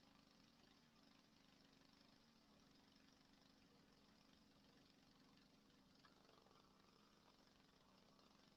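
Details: Go-ped small two-stroke engine during a repair, set on bricks: a faint, even buzz ticking over steadily with no misses or surging, running properly; the idle may still need adjusting.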